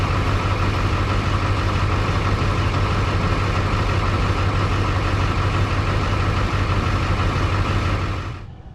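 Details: Ford 7.3 diesel truck that sat long and grew noisy on a trip: deep diesel rumble under steady whirring driveline hum from under the truck, winding down; worn driveshaft hanger bearing, to be replaced.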